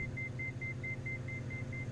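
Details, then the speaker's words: Diamond DA42 on climb-out after simulated engine failure, one throttle reduced below 20% load with gear not down: steady high beep about five per second over engine drone, the automatic landing gear warning horn. "the gear is not down so the aircraft automatically produces a gear warning sound which is that beeping you can hear"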